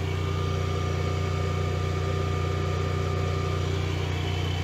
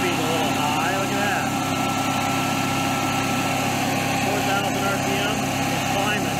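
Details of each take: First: Generac-built Honeywell standby generator, called out for an overspeed failure, running under load at about 243 V and 59.9 Hz: a steady, even governed drone with no hunting or surging. An engine problem remains unresolved. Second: Generac-built Honeywell propane standby generator with an overspeed fault that recurs after reset: constant high-pitched drone with no hunting, well above normal speed. A failing stepper motor is suspected, not confirmed.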